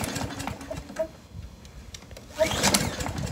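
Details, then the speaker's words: Briggs & Stratton 675EXI on a Poulan Pro PR675Y22RHP mower: uneven recoil pulls and a brief whirring spin, never fires. The plastic carburetor's choke lever sticks open against the metal bracket, so it won't choke and won't start. "so when you go to start this machine it doesn't choke itself which doesn't allow it to start"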